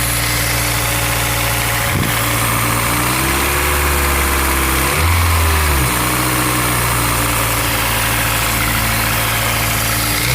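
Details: Honda S2000 AP1 engine with a fast, light ticking rattle over an otherwise steady idle that carries through a brief rev; source of the tick undetermined.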